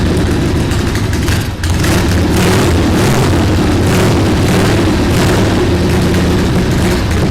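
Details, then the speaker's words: 1979 Harley-Davidson Ironhead Sportster XL1000, first run in over 25 years, with more choke and idle raised and a loose carb: deep, uneven thumping as it catches and stumbles; owner suspects flooding. "so I think we're kind of flooding it a little come on yes we got to find a way to secure that on there a little better"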